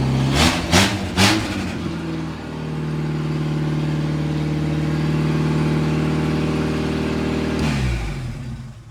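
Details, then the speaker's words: Ram 50 mini truck with a swapped Toyota 22RE engine, first runs after the swap: a few sharp blips, then a loud, rough, steady drone through open headers; healthy engine, just very loud. "God, that open header is real loud. Jeez."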